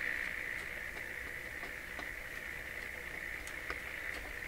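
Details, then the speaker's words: Bendix 526A 5-tube radio, previously badly stored, while the stiff tuning is being worked: a steady even hiss with no voice or music; the set is receiving noise but no station is tuned yet. "see well it sounds like it's receiving you know the usual noises I haven't heard a station yet"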